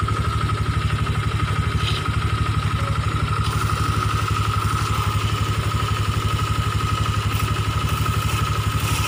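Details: Honda Vario 125/150 scooter at idle: rough growl pulsing about four times a second with a steady mid tone over the engine, pointing to a worn radiator fan.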